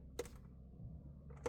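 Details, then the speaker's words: 2011 Jaguar XF 3.0 diesel automatic, no crank no start; foot on brake, start button pressed, two sharp relay clicks 1.3 seconds apart over faint hum, lights and fuel pump working but no starter whirr; cause not found. "I can hear all relays and all manner of electrics working and I still get that."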